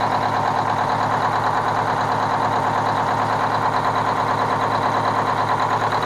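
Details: Kenworth cabover diesel truck with a fuel problem: steady idle at about three pulses a second with an uneven beat; one cylinder is missing, and the owner judges the third cylinder back on one side needs a new injector.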